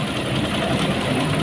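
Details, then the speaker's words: Mega Pro New mono-shock motorcycle with harsh top-end noise: clattery idle with a busy rattle from the cylinder head over the exhaust drone; suspected rocker arm, camshaft or valve, probably not valve. "Kali ini kami akan menyajikan kasus di mana suara motor ini terdengar kasar, teman-teman. Lihatlah. Mari kita dengarkan bersama. Suara itu berasal dari atas. Jadi, ada kemungkinan itu mengarah ke lengan ayun , poros bubungan, atau katup."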